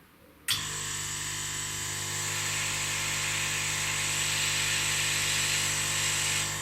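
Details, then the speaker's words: Laser cutter air assist pump running with the machine off, listened at the nozzle after wadding was trimmed from the jam jar: a click, then a smooth, even high air hiss with no pulsing or banging; steady, normal airflow. "I have to say that that sounds pretty successful and if I put something in front of the airflow this sounds pretty stable"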